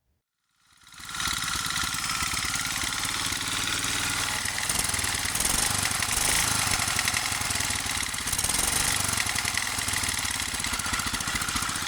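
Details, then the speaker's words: 1947 Whizzer H single-cylinder engine during revival: catches and runs with a hard, rhythmic knock under its rattly exhaust beat. "you can hear it actually knock, which is, not bueno."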